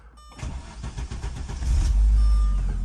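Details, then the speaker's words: 1991 Audi 200 Avant after replacing the melted starter solenoid signal wire: brief crank, catches within a second, settles into a strong even run; ignition switch starts it for the first time in years; normal start. "And she fired right up. First time in probably many years that the actual ignition switch has worked."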